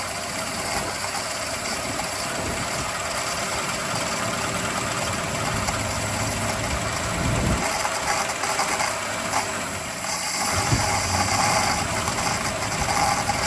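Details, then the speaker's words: Free donor ute with Chrysler 215 Hemi six, after adding fuel: steady, fairly quiet idle with even low beat, no knocking or misfire; engine runs well. "Runs pretty quiet, eh? Yeah. But not a bad little engine."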